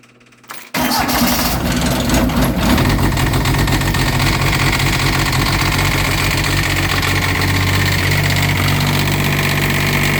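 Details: Kubota G1800-S diesel cold start at -8°, glow plugs cycled with jumper pack: cranks briefly, catches at once and settles into an even, steady idle with clean firing; a healthy cold start.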